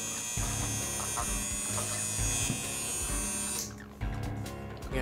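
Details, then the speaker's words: Modified Andis Outliner trimmer after adjusting the armature and tension fork, blade tightened down to seat: strong, steady mains-rate buzz with short breaks as the blade cuts hair; even more power, running healthy. "No more. There we go, there's even more power. Yeah, that's really powerful."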